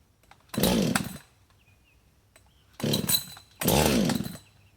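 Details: Hot Husqvarna 562XP chainsaw, left sitting 15 minutes after hard running at 91°F and high humidity, pulled three times with no catch; the primer bulb pulls no fuel, and the owner suspects vapor lock. It won't start until cooled.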